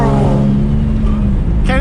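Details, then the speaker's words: Turbo Nissan with stock HR engine on about 20 psi boost, possibly missing a bolt on the header-to-turbo connection: loud raspy roar and deep rumble under acceleration with small pops and no turbo whistle. A big exhaust leak before the turbo drowns it out. "hear my turbo at this point there is no turbo all the air is escaping before it even hits the turbo dude i know my neighbors hate me right now this thing is so loud i feel bad my god little pops too"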